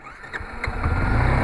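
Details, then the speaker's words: 2013 Yamaha Fazer 250, original seven-year-old starter relay: sharp "tec tec" ticks with electric start failing, intermittent then constant; faulty starter relay, replaced, after which engine catches and settles into rough idle. "fazia tec tec tec e não ligava de jeito nenhum entendeu"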